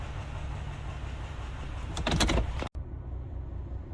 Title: Got a popping noise